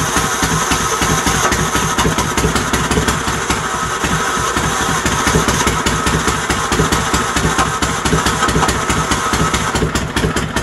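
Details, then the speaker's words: Troy-Bilt GTX 20 after heads refitted with new lapped valves and gaskets, gas fed directly into carburetor: loud, raw, uneven beat with harsh open exhaust crackle, running rough; muffler baffles gone, effectively straight pipes, carburetor kit on the way. "I know the baffles in the exhaust are gone too our dear Lord so you guys get the drift it runs the muffler basically isn't one's as straight pipes"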